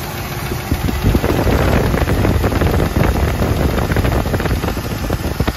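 Steady V8 idle with a light, quick tapping riding on top, about three a second; a top-end tick, cause not pinned down. Cause suspected, not confirmed.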